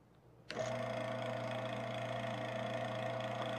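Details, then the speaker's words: Motor on a vibration-monitoring demo rig, good bearing swapped for one with a known inner race fault: steady hum with a thin ringing high whine on top, audibly different from the good bearing; ML monitoring flags an inner race fault. "you can hear an audible difference between the good and what is now the bad bearing running as you can see the rms output is different for the bad bearing that it is for the good bearing"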